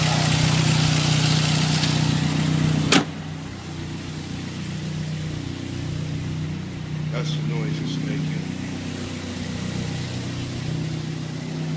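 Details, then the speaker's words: 2003 Saab 9-3 SE, about 100,000 miles, engine super loud since an oil change and engine flush 200 miles ago; not the muffler. Loud steady low drone easing a little when revved but staying loud; cause unknown. "when I rev it, see, it's not as loud. But it's still loud though."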